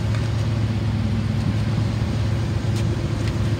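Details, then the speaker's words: 2002 Dodge Ram 2500 utility truck, 5.9 L gas V8, automatic, 999,000 original miles stated, running almost an hour: deep, even V8 burble idling smoothly with no knocks, misses or surging. "and you can hear it idling nice and smooth"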